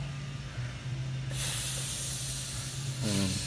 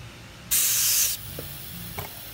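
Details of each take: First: Briggs & Stratton Quantum lawn mower fuel tank with non-original gas cap, pressurized and clamped: steady hiss of trapped pressure escaping as the cap comes off; cap not venting, causing poor fuel draining and running. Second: Briggs & Stratton Quantum lawn mower fuel cap, tightened with the tank pressurized: a sharp brief hiss of air escaping through the cap shows the cap is venting normally.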